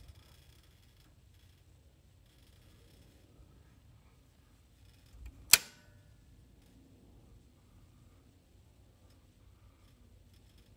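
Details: Home circuit breaker box making faint ticking crackle and a sharp electrical snap, with lights flickering; replacing breakers didn't help; cause was a corroded connection where the main power line meets the house.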